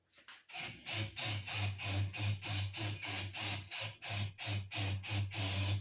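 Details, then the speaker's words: Honing a J.E. Porter hand pump cylinder with an engine hone on a Ridgid drill at speed 1, degreaser as lubricant: grinding whir pulsing about three times a second in an uneven stutter; hone chatter. "Hear it vibrating? I don't know if you can hear that. I don't like that vibrating. Vibrating means it's stuttering as it's trying to grind."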